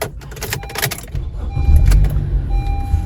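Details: Honda Accord starting after a key-programming fix for a crank-no-start: settles into a steady, even low idle rumble with no knocks or misses. Normal idle.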